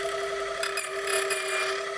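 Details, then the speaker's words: GL320 key machine duplicating a key, cleaning up the valleys: steady high motor whine with light brief scraping, no metal coming off at valley bottoms; normal, clean cut. "Very sharp key blade. I can hear that when I'm down in the bottom of each valley"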